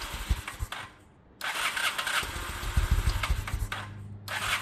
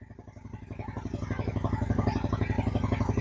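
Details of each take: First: 2000 Honda Shadow ACE 750, real tank refitted with fresh fuel, petcock on, choke out: catches, stumbles and surges, barely holding idle; fuel issue not spark, old fuel still in the carbs. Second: 2000 Honda Shadow ACE 750 V-twin after fresh fuel reached the carbs, which had been starved of fuel; the choke is pulled and the idle picks up to a steady, even loping beat with no misses.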